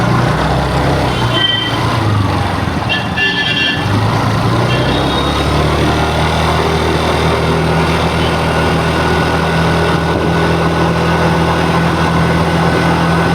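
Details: TVS Jupiter 113 scooter idling with a busy, uneven mechanical clatter over the exhaust note; abnormal engine noise, cause not yet clear.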